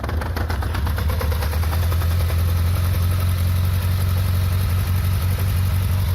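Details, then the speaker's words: Yamaha 600 Diversion started at idle: low steady idle with loose metallic clatter, the normal slap of the untensioned primary chain, which has considerable play; valves also need adjusting and tick a lot when cold. "Là, si vous voulez, quand on le démarre, on entend la chaîne primaire, donc c'est une chaîne qui bat comme ça, si je vous dis pas de bêtises, elle n'a pas de tendeur, elle a pas de tendeur."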